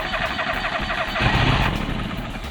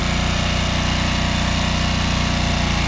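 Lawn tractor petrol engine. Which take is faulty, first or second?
first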